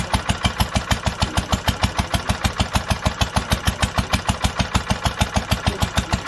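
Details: 1946 International Harvester LBB 3-5 hp water-cooled engine, first cold start after long storage under cover, choked twice before starting; crisp even exhaust beats about two per second, no misses or knocks: normal steady running.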